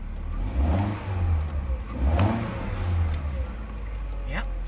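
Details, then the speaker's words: Mercedes SLK 230 after replacing the throttle position sensor in the gas pedal for slow throttle response: engine rises promptly on each blip and drops back to idle, no hesitation; response now normal. "sounds like that works"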